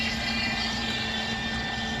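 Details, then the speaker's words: Dolphin S300i robotic pool cleaner after repair, with the track wheel pushed back in so its teeth no longer catch on the drive cogs: a steady, even motor hum with a faint whine and no skipping. The track drive runs normally. "tracks seem to be okay and everything's okay except you know obviously you got some missing bristles here but that's it all done all fixed you"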